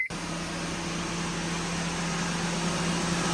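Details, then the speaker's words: 2005 Honda Civic Hybrid at about 135,000 miles, after swapping in a pair of 2001 Civic cooling fans for failed originals, A/C on at idle: steady even fan whoosh over low idle hum, no rubbing or ticking; fans blowing the correct direction. "Yes, sir, we got fans. Blowing in the correct direction."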